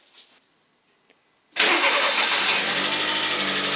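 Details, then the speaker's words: VW Polo 6N2 1.0 MPI first test start after timing belt and water pump replacement and coolant refill: quick crank catches at once, settling into a steady even idle with no knocks or ticks; engine running perfectly. "like in the first day, perfect Let the engine run until the fan starts"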